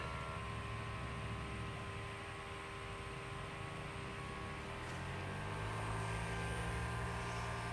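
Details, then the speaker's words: Chinese mini excavator at 36.8 hours, after fuel pump replacement on the job site: faint steady electric hum, firming and rising slightly after a few seconds as the pump pulls fuel and the level rises; normal fuel pump running. "sounds like we're actually going to get some fuel again"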